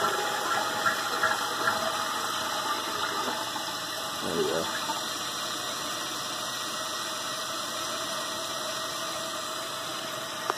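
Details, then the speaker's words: Old running toilet after replacing the flapper seal and adjusting the chain length: flush rush, then steady hissing refill until the float rises and shuts the fill valve, with no continuous running. "how it works the water is filling up the bowl right now basically the water should go up until it it hits the float"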